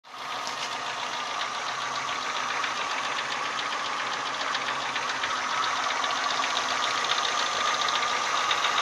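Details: Renault Symbol 1.4 8-valve, warm at idle: a quick, fairly even ticking knock about three or four per second. It appears only when hot, not when cold, and the cause is unknown. Engine knock when hot.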